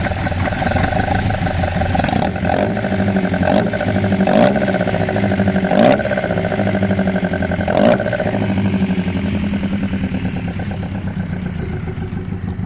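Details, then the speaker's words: Ford Escort Mk1 with new bottom end, just running after rebuild, cold (thermostat not yet open): revs rise and fall unevenly with irregular thumps and rough loping note; massive vacuum leak, unbalanced carbs, cam possibly retarded. Lumpy uneven running. "she's a bit lumpy, but the cam is that far retarded or whatever."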